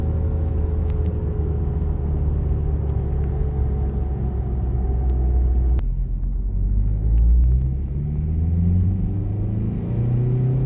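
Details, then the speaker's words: VW-group car, engine/gearbox noise when declutching; low rumbling idle with a droning tone that shifts as the clutch is worked, from a disintegrating clutch release bearing that shed plastic particles into the bell housing. "Und das ganze Lager, das macht auch ordentliche Geräusche. Also das hat sich mehr oder weniger schon zersetzt."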